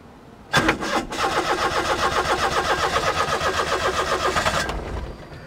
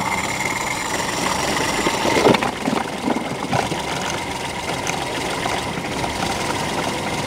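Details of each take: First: Perodua Kancil 850 cold start after sitting overnight: long uneven cranking at about four turns per second before catching; hard cold start from faulty automatic choke. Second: Perodua Kancil 850 three-cylinder, hard to start on cold mornings; with the faulty auto-choke flap held closed by hand, it catches, stumbles briefly, then holds a steady, even cold idle with no knocking.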